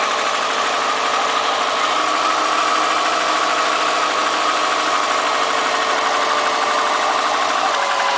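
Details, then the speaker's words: 2002 Subaru WRX, 214K highway miles, low compression, alternating misfire code cylinders 1-2-3, cold day, slightly warmed, stalling: steady idle with faint even tapping under mechanical clatter; owner suspects piston slap, doubts rod knock. "Can't tell if it's piston slap or rod knock. Not sure. Definitely not rod knock, though. It'll be a lot louder than that."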